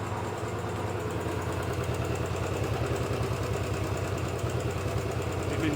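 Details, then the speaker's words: Royal Enfield Bullet 500 B5 after rebuild, long-stored bike, run 10–15 minutes warm: steady single-cylinder idle with faint fast tick, slightly better than before; loudest at one pushrod that ran extremely warm, its end worn eye-shaped instead of round. "just about still hear it ticking now when that Stone Cold a nothing uh it's slightly better than it was but put a screw driver to it it sounds the worst on this push rod which was the one that was extremely warm"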